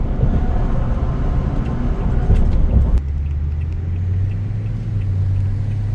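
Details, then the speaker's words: 2019 Toyota Tundra V8, driving: deep, even rumble that builds under throttle then settles to a smooth steady drone with no knocks or rattles; normal healthy engine. "So that V8. Man, that thing sounds good."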